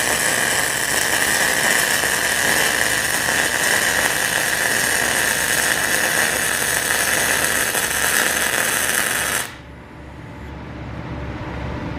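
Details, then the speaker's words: PrimeWeld MIG160Ts on 220 V, solid .030 wire with C25 gas on 1/8-inch steel, at about 23 V and wire speed 395, above the chart: an even, steady sizzle and crackle for about nine seconds with no popping. A correctly tuned MIG arc. "Alright, so I think I got it dialed in."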